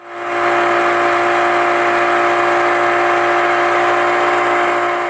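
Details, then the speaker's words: Mariner 25 hp two-stroke outboard cruising at 18 mph at three-quarters throttle: loud, steady, high-pitched buzzing drone, no misses or surging; healthy but noisy high-rev running. "it's revving its guts out at three-quarters throttle so rather noisy"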